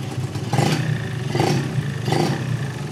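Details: Yamaha 125ZR two-stroke, standard block, 125 carburetor, standard exhaust, mileage 29,000: crisp buzz rising and falling in three clean blips, no knock or rattle; revs freely, normal healthy.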